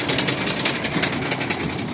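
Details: Towed-in Shacman truck with WP13 diesel running with sharp metallic knocks over the engine noise, uneven but persistent; serious internal engine knock.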